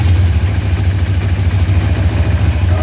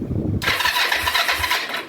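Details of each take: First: 2004 Kawasaki Vulcan 500 stored two or three years, first run after bleeding fuel through both carb float bowls: steady, even low idle, slightly raised on choke, cold at about 35-38°F; engine running normally. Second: 2004 Kawasaki Vulcan 500 stored two to three years, first start attempt after carb reassembly, petcock not on prime: quick high crank under two seconds never catches; engine turns over but carb float bowls empty, no start.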